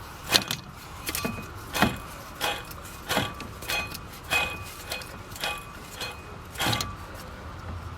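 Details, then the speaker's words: 2009 Toyota Corolla water pump, pulley spun by hand with alternator removed: rough, gritty tick repeating about every two-thirds of a second; pump bearing appears to be going out. "So it kind of sounds like the bearing's going out."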